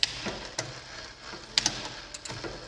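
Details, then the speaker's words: Rambo bike derailleur after barrel adjuster tension adjustment, downshifting one gear at a time: crisp single clicks about a second apart, no grinding or chain chatter, no sticking; shifting cleanly. "I also check it coming back down if the shifting sticks anyway coming back down that means you have too much tension"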